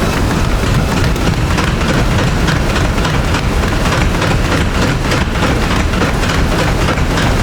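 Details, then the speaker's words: NordicTrack X11i treadmill at higher speed with a lighter runner: rapid footfalls over a loud, rattly clatter each stride as the deck bounces back. The whole unit vibrates violently; the owner suspects backlash in the incline motor lifting the deck. "That sound is what I hear when I'm running, but it's not just the sound. The whole treadmill actually violently vibrates to the point where my kids are scared of it and my wife won't be near it."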